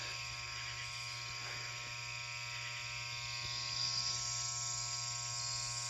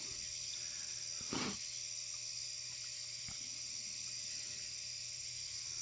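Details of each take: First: Loud, steady mains-pitch hum from the ballast of a 400 W high pressure sodium (HPS) Hubbell floodlight, owned about eight or nine months, running hot; unlike the owner's other fixtures, this ballast keeps humming after warming up. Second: 400W HPS Hubbell floodlight warming up: steady, even ballast hum with a bright high buzz and no flicker or crackle as the light gets brighter; normal operation.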